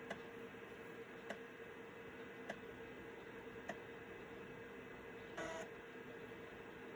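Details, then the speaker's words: Citizen W1D floppy drive in a Compaq Armada 7770DMT after belt replacement, writing to a 1.44 MB diskette: sharp head-step clicks about every 1.2 seconds over a faint steady motor hum, one brief buzz; normal floppy drive writing. "Okay, so we're going to copy the system files now."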